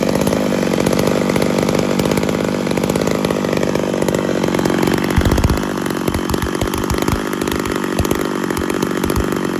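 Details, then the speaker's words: Ported Homelite Super XL-925 82cc two-stroke chainsaw with a vintage stack muffler, cutting wood: high-revving scream turning choppy and dropping as the chain bites; cuts cleanly, with more RPM but much less torque than the stock muffler. "So here's my assessment. Lots more torque with the stock muffler. A lot more. More RPM with the stack muffler."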